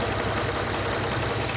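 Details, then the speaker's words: 6th production Lamborghini V12 with an uneven, lumpy idle stumbling every few pulses; misfire improving somewhat but owner concludes it needs a new set of spark plugs, cause not yet confirmed. "That's part of tracing these problems. It's getting better, but no, it's going to need a new set of plugs in it, unfortunately."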